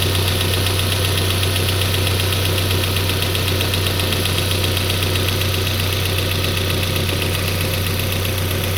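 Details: Peugeot 407 2.2 petrol, running cold, Total 9000 5W40 oil: fast even ticking knock about four a second over a low drone. It appeared after ring replacement, valve lapping, valve stem seal replacement and idle-air channel cleaning. Cause unclear.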